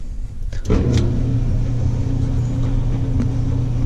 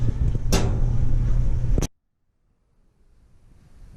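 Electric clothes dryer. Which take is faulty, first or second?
second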